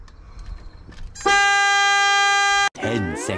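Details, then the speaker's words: Newly bought non-running project car, battery just connected: turning the key gives a steady loud horn tone then a rising and falling siren sweep; the key sets off the alarm but doesn't crank the engine. "let's see if the key actually does anything [Music] oh well it does it activates our alarm"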